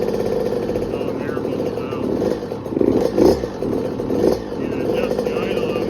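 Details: 2020 KTM 50SX Mini two-stroke, first start after full teardown to frame, little gas added: high buzzy idle with a couple of quick crisp blips, no misses; normal two-stroke idle.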